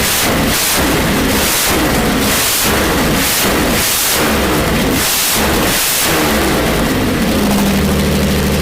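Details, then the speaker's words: Jaguar E-Type 2+2 six-cylinder under restoration, running with no exhaust fitted: rough, loud open-pipe idle with a steady beat, smoothing toward the end; sounds like it is running on all six cylinders. "then we're going to need an exhaust pipe here um i think you're going to need an exhaust but that did sound like it was running on six cylinders"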